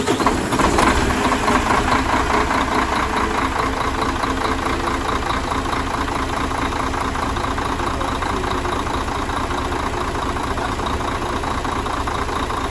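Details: Mercedes Axor truck OM457 diesel after full engine rebuild for foreign knocks, new filters; ran all day without complaints. Steady, even idle clatter with smooth rhythm and no stray knocks: normal idle.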